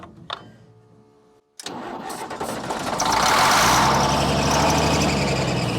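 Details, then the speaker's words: Military diesel truck: long churning crank that never settles into running; fuel reaches the injector pump but not the injectors, owner suspects a bad injector pump, though it briefly idled earlier. "there's no fuel getting up to these injectors they just ain't so we get fuel up to this point and then so that just tells me that pump is bad right there"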